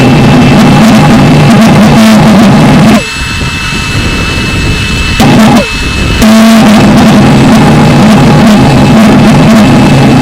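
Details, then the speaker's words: Valveless pulse jet started with blower air kept running until it speeds up, fuel pressure getting low: very loud, harsh roar with a steady low buzzing note, faltering twice then roaring back; running normally. "secret is to keep the air running until you hear the motor speed up then that's you've uh you've got it warmed up enough to run"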